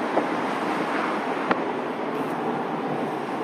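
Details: Top down, windows up, at speed: steady, airy rush of wind filling the cabin with no letup; air catching on the rear back corner, loud and annoying.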